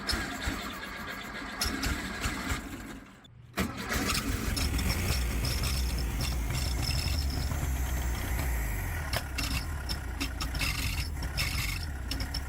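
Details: 1969 VW Beetle, not running for months, after carburetor install: steady cranking about four beats a second, brief stall, then ragged uneven running; timing light shows intermittent spark, suspected coil, rotor, distributor or points.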